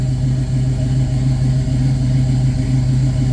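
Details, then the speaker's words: 1966 Pontiac Catalina wagon V8 with Holley Sniper fuel injection, idling in park in closed loop after injector connector work for an intermittent issue, AFR slightly rich: steady, even low rumble with smooth beat, no skips or misses. "No so far sounds fine that side sounds good I don't hear any skips I don't hear any issues oh sounds great"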